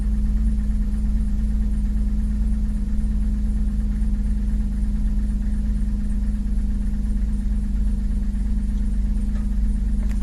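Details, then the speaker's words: 2009 Pontiac Torrent at cold idle just after start, with a cold-start stumble and coolant sensor reading about 8–9°C high: steady idle with a soft, uneven knock about three per second; owner suspects piston slap, not confirmed. "bit of a piston slap it sounds like you can hear that piston knock but I don't think it's gonna respond to that piston knock and do anything with it"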